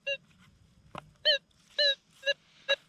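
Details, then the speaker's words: Metal detector over mineralized Arizona desert placer ground: irregular short warbling beeps over a quiet background with no clean repeatable target, from noisy ground and hot rocks. "Let me double check this here. I always like to double check where I dump my handfuls. You can hear this ground's really noisy."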